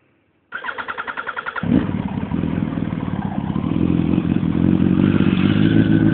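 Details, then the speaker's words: 2004 Yamaha R1 custom build, 16,736 miles: starter cranks in quick even pulses, then the four catches cleanly and settles into a smooth, steady, slightly rising fast idle, left to idle for oil circulation; normal start. "Every time I crank it up, I let it idle so the oil can circulate in the motor."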